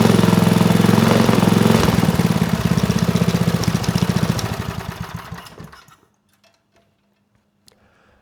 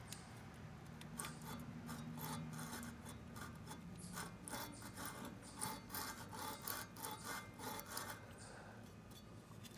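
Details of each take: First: Manco Dingo go kart with a Briggs 5hp horizontal-shaft engine and Comet TC88 torque converter, revived after having no spark and no compression; even single-cylinder chugging at three or four beats a second, running cleanly; shut off because fuel leaked from a missing screw hole. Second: Manco Dingo go-kart Briggs 5 hp horizontal-shaft engine, about 25 years old, seized and full of dirt, turned slowly by hand: soft, uneven rasping scrapes each turn; owner suspects the flywheel rubbing on the coil.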